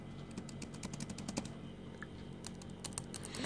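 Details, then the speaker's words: Used laptop keyboard: some keys give a gritty, crunchy click and press stiffly while neighbouring keys tap cleanly; owner suspects, about 70% sure, past liquid spill, or possibly heavy dirt under the keys; unconfirmed. "вы слышите вот такой вот хрустящий звук на некоторых кнопках может и 1 может три может половина клавиатура такой хрустящий звук"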